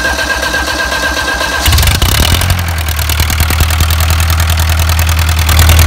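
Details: Isuzu 4BA1 85 hp diesel driving a 5-inch irrigation pump for a durian orchard, pushing water about 800 m uphill. A brief crank, a clean catch, then an even chugging idle with no misses or knocks: a normal cold start.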